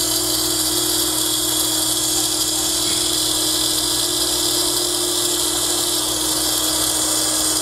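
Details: Returned jet pump run on the workbench during warranty testing: harsh gritty grinding like gravel over a high whine, coming from the motor end; internal motor fault, pump likely not worth repairing.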